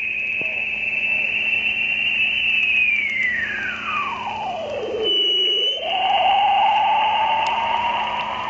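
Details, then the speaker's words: Ham radio receiver on 80 meter band near 3.846 MHz: whistling tone glides down in pitch, then climbs back and holds; sweeping interference crossing the band roughly every 10 minutes all morning, source unknown. "that is the signal that is sweeping across the amateur radio 80 meter band it's been doing it all morning"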